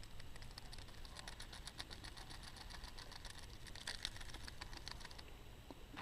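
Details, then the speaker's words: Idler/tensioner pulley removed from a 1997 BMW 540i and shaken by hand: loose, irregular metallic rattling. Its ball bearings are worn out and dry with no lubricant, so they chatter. The new pulley is silent. "hopefully you're able to hear that fairly well but what that is is that the actually the ball bearings on the inside that have worn out and obviously they're kind of chattering"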